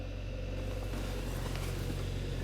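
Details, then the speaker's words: 2011 Hyundai Sonata 2.4 L after starter replacement for a no-crank, no-start: engine catches and settles into an even, steady low hum with no misses or knocks, clean under throttle; runs healthy, no dash lights. "as you can see this is fixed guys the engine is running so i'm gonna give it gas so right there the engine sounds good"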